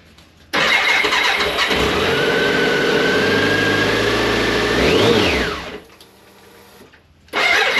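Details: 1998 BMW K1100LT, about 83,000 miles, after fuel pump replacement and draining dirty, likely water-contaminated fuel tank: catches at once, steady even run, one clean rev rising and falling without stumbling; normal running.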